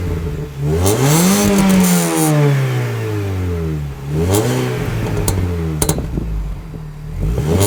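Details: Mini Cooper S R53 after removing Borla cat-back and refitting factory exhaust: starts cleanly, revs up and down smoothly with a soft, mellow note and small burbles on overrun; healthy engine.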